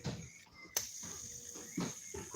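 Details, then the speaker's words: AliExpress BFS baitcasting reel (Black Knight II or LingL): a thin, steady high-pitched whir, the hiss of noisy ceramic spool bearings. "Now to this one. There's a noisy ceramic bearings."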